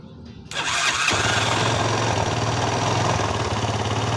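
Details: Old Honda 200 motorcycle engine, run for long with timing chain noise (tensor no longer reached chain), after tensioner reinstalled: starts cleanly, brisk even idle, no chain rattle or slap; running fine now.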